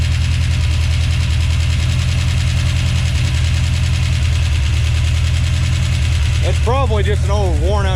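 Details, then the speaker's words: 1970 Plymouth Duster with 340 engine, first start attempt: low, lumpy idle with an uneven beat where one cylinder keeps dropping out; misfire at idle, cause not confirmed. "um so it is indeed missing you can hear it"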